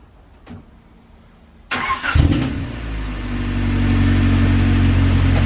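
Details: Right-hand-drive car after exhaust parts were installed as a temporary makeshift fix: the starter cranks, then the engine settles into an even, steady idle with no puffing or ticking, so no exhaust leaks are heard.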